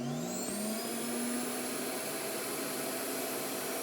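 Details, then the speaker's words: Hoover PowerMax Supreme 850 S3609 canister vacuum, 1990s unit, started on low speed: smooth, steady whirring hiss with clean tone settling after start-up, no rattle or grind; motor running healthy. "That's how it sounds like on low speed."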